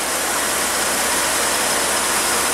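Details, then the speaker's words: VW Santana with AP engine after a basic service at idle: runs smooth and even, engine barely moves; it had arrived shaking and misfiring, and plug wires, plugs, rotor, injector and TBI cleaning, and the idle actuator connector were replaced or done. "É, o carro já tá pronto, o motor já tá funcionando, redondinho, ó, o motor nem se mexe."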